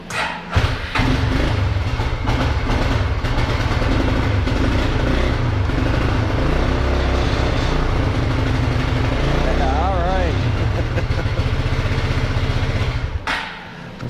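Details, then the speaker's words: Older, high-mileage Suzuki King Quad ATV that quit during a snowstorm, tested in neutral after the neutral safety switch check; it blows a little smoke. It cranks, catches quickly and settles into a steady, even idle before shutoff, running normally. "probably smoke herself out said the old uh boy's got some age on him some miles on him and he blows a little smoke"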